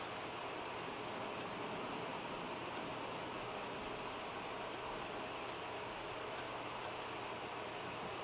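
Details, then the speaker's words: Sony PS2 SCPH-50001 after repair, disc loaded: steady soft whir with faint light ticks about every half second as the disc spins and reads; drive runs normally. "It was about 13 seconds or so. and just letting it play through, listening to the drive, seeing if there's anything that sounds strange."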